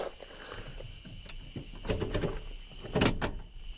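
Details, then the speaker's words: 1966 Chrysler 300 revival, column gear shift linkage checked after reassembly (factory brass bushing at column end): handful of crisp clicks and clunks through the detents; linkage operates normally. "Sounds good to me."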